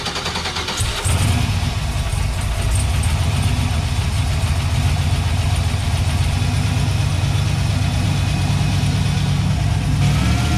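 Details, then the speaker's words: Turbo Chevrolet C10 V8 after heads resurfaced, decked and valve job, startup: lumpy, uneven idle; misfire and backfiring persist, not corrected by head work. "took it on a spin down the street and i noticed immediately that it had not corrected anything so we still had the misfire"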